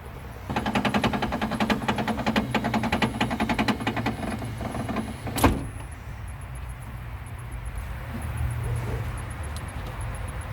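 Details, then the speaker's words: 1997–2001 Honda Prelude 5th gen (BB6) power window: motor whirs with fast uneven ticking about five seconds, then a hard clunk at the stop; works but abnormal, window regulator to be replaced. "it seems to be working but something's just not right with it"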